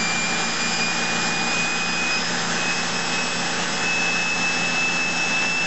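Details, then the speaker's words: Model hybrid steam-turbo-electric turbine driving a generator that pulls a street car, running at about 5,500 RPM. A steady high hiss and thin whine hold an even speed under load with no knocks, running smoothly. "let's see what it's doing now so right there it's doing about 5,500 RPM and that's kind of as fast as I wanted to go"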